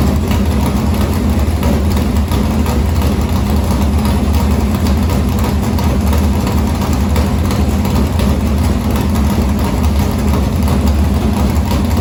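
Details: Morgan Machine-built open V8 (about 358 cu in) race engine in a Harris car, EQ heads, likely an Edelbrock Victor Jr two-barrel intake, started after sitting a week and a half to refill an unhooked fuel line: loud, lumpy big-cam idle holding a steady even beat, no misses or knocks; normal idle.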